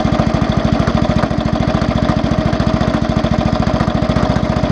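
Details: Small single-cylinder engine at idle: hard, evenly spaced knock in time with the engine, growing louder; owner suspects crankshaft-side bearing or connecting-rod big-end bearing, not confirmed.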